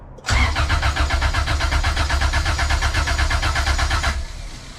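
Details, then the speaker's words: Honda CRX B20Z swap, compression test with distributor and fuel injectors disconnected, throttle held open: steady cranking about four seconds with even strong pulses; cylinder one reads 200 psi, two 195, three 185; normal compression. "cylinder number one we are at 200 compression that is freaking awesome"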